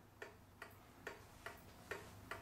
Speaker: I have a ticking like it's supposed to sounds like a real clock